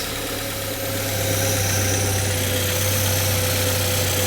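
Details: Saab 9-3 Convertible left idling after lots of stop-start moving around; steady even idle hum, smooth low drone, no knocks or ticks; engine settled and running normally.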